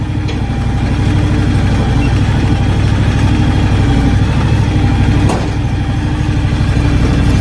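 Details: John Deere X724 tractor with the 54-inch snow blower fitted: an even, steady idle thump at constant speed with no misses or knocks while the hydraulic blower lift is worked, a healthy idle.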